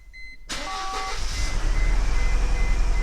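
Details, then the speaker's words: Car with check engine light and history of intermittent problems, sat 24 hours; after start chime, uneven, loping idle with stumbling beat, running terrible in drive, putt-puttering: engine misfire. "what we have right now is a car that's running terrible"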